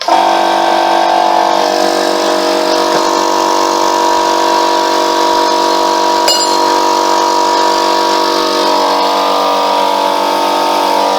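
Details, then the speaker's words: Free Ford air compressor running after a gasket change: steady motor and pump hum with a brief sharp release as it blows off for the first time in years; normal running, repair successful. "look at that tell you what that's the first time that that's blown off like that hasn't it in in years that's better"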